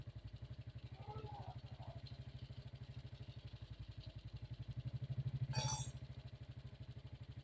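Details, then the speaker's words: Suzuki Smash motorcycle after carburetor and idle adjustment (was stuttering on throttle, spark plug fouling black): even single-cylinder thump about three beats a second with a brief blip; smooth healthy idle, throttle responsive. "ini sudah enakan bagian langgamnya tarikan gas juga sudah responsif motor juga sudah enteng sekali tarikannya"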